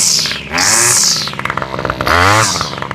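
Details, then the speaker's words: Toro string trimmer after carburetor rebuild and fuel line replacement, started cold on full choke: small two-stroke snaps up to a high buzzing rev twice, clean and crisp with no bogging; runs healthy. "I love the way this thing sounds. Sorry. I love the way this thing sounds. If I were to ever trade my weed eater for a different one, that would be the one I'd trade it for. That little Toro sounds good. Got a nice little crack noise and it revs up nice and fast."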